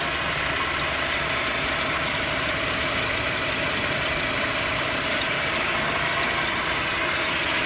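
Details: Mercedes-Benz W204 with M271 engine at cold idle: sharp, light ticking knocks, roughly three per second and not quite even; cold idle knock needing diagnosis, cause unknown.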